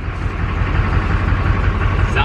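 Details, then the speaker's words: LB7 Duramax diesel truck, unrun for six years, fitted with new injectors; idles with a lumpy, uneven clatter and a skip in the beat, one cylinder misfiring; owner suspects a part is causing it, not confirmed. "well we got the truck to move under its own power but we believe that the victim is causing an issue because we're still getting the injector seven misfire"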